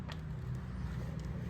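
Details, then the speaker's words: Rebuilt VW transaxle on the bench after installing gear carrier and nose cone, turned by hand in reverse: soft even low hum with no bearing rumble or gear whine, normal smooth rotation. "Well, it certainly sounds good. We're not hearing any bearing noise now, are we?"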